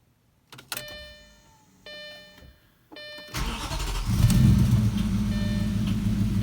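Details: Audi B6 S4: warning chimes, engine cranks and catches, then a light quick ticking about three to four per second runs through the idle; cause unknown.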